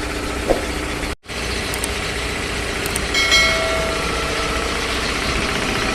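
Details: 3 HP LG-model belt-driven air compressor after service (belt, filter, oil indicator and oil changed): even, steady piston chugging over motor hum with no knocks or squeals; normal running.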